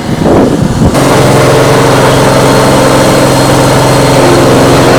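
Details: Old Dixon zero-turn mower with chain/cone drive (no hydros), after new chains were fitted and the battery recharged: the engine catches and settles into a strong steady drone with no clatter, slap or grinding from the drive; runs healthy.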